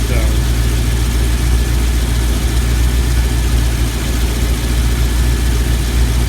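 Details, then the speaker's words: LS V8 in an old Blazer, cold, after swapping from 7.400 to shorter 7.350-inch pushrods (Elgin 1838P cam, Speed Pro lifters, 5W-30) to cure rocker noise: smooth, even low rumble, faint injector ticking, no rocker clatter; normal idle. "What's going on, but it sounds quiet. Like the rocker arms are, you know, to me I can hear the injectors more than I can hear the rocker arms, but like I said, it's not warmed up yet,"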